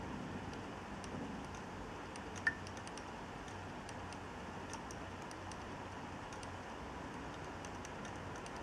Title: Clicking noise (HDD from Dealextreme) video 2